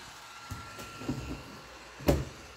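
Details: PC that freezes while its cooler fan makes a loud noise: faint steady fan whine broken by irregular clicks and knocks, like a blade catching or ratcheting; owner wonders if motherboard is at fault, cause unconfirmed.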